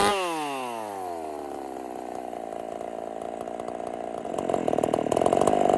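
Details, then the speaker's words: Husqvarna 50 Partner 5000 hybrid race chainsaw, first cuts after a rebuild with a machined piston taper, in wood too big for the bar: revs high as the chain bites, then a strong steady howl without bogging. Normal cutting. "so let's give her some Cuts this wood is way too big for this bar but we're going to run it anyway"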